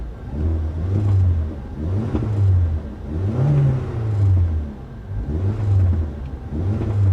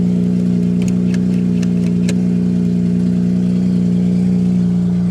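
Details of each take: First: Mazda RX8 Shinka at a salvage auction, blipped in neutral with the e-brake on about every second and a half. Revs rise and fall cleanly and evenly, with exhaust snap, crackle and pop; normal free revving. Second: Mazda RX-8 Shinka rotary at a salvage auction, fired up on its own; idles and blips with a buzzy, raspy edge and fast popping pulses, loud and unmuffled; exhaust suspected cut off and straight piped; raspy exhaust note.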